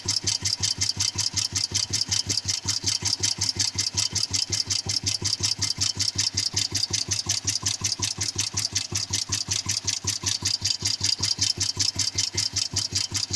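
Single-cylinder idle with a sharp, metallic tap on each beat, about two to three a second and fairly even; a knock whose source is unconfirmed.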